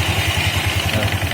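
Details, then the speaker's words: Honda Vario 160 CBS scooter CVT after reassembly: a rough, rapid rattle about eleven times a second over the idle comes from a damaged pulley, and the harsh sound disappears when water is splashed on it. "Nah, itu tandanya penbilnya udah rusak teman-teman. Oke ya, kita ciprat pakai air langsung hilang ya suara kasarnya ya."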